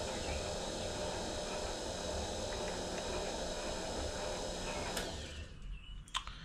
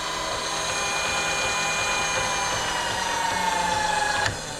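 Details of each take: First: Precision Matthews PM-25MV mill, new X-axis power feed tested against its limit stop: steady motor hum with gear whir runs on instead of shutting off at the stop, then cuts out late; cause unclear, stops need adjusting. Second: Precision Matthews PM-25MV mill, new X-axis power feed running at speed against its bump stops: clean steady motor whine dropping in pitch then cutting off sharply as it disengages to middle; no grinding, feed healthy.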